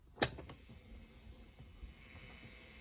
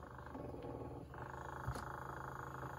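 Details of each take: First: 1960s Electra TC-505 reel-to-reel recorder, play engaged with tape removed, volume up: click, then faint steady hiss; amplifier's own noise low and normal, earlier noise attributed to tape. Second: 1960s Electra TC-505 reel-to-reel tape recorder under restoration: steady low buzz from the motor that doesn't let up while the transport runs; motor buzz, cause not yet found.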